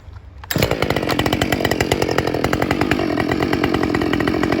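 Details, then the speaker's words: Husqvarna 572 autotune chainsaw at wide open throttle with the air filter completely plugged by duct tape: it climbs quickly to a steady scream that sounds slightly held back. It reads about 12,800–13,000 rpm versus 13,400 with a clean filter, so a reset is needed. "about 13,000 12 128 129 that's with a completely plugged air filter"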